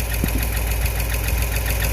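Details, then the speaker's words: Ram 5.7 Hemi run briefly with the front belt off to locate a noise: steady quick ticking over a rough idle, keeping time with engine speed; suspected lifter noise, not confirmed. "it definitely has that noise something related with a lifter what do you guys think"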